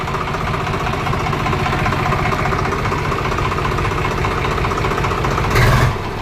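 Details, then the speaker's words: Swaraj 735 FE diesel tractor idling after overheating and stalling, with a hard rhythmic "tak-tak" knock; the mechanic suspects one or two seized pistons and opens the engine. "ఆ టక్ టక్ టక్ టక్ టక్ టక్ అని అంటాబ్బా of చెయ్ ఇది ఇంజన్ ఓపెన్ చేయలా పిస్టన్ సీజ్ అయింటాది"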